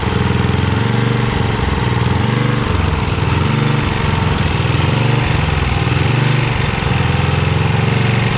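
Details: 1982 Snapper Comet 8 HP Tecumseh engine, off the tractor, run on choke at full throttle, burning off old fuel with a foul smell: loud, fast-pounding single-cylinder beat held flat out, lumpy and uneven, no settled idle; only runs wide open, needs tuning.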